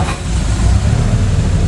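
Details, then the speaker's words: 1928 Ford Model A race car with 4-port overhead valve head conversion, ice cold, starter button: brief starter churn then catches into low even chuff at fast idle; normal clean cold start. "Hey, success. Just like that."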